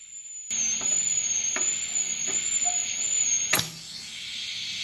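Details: DC stick welder converted to TIG with manual argon valve torch, welding stainless at 75 amps: even, high-pitched hiss with a thin steady whine for about three seconds, then cuts out cleanly; a stable TIG arc.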